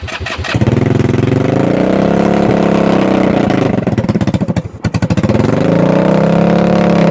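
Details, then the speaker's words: 2021 Kandi Batman go-kart engine, cold: cranks, fires without starting spray, then runs lumpy and uneven with a stumble as revs sag and recover; very cold-blooded, hard-starting, cause unknown. "It's starting without the spray. So cold-blooded. It lives! Yeah. Too noisy. Yeah, it's alive. It's just super cold-blooded, huh?"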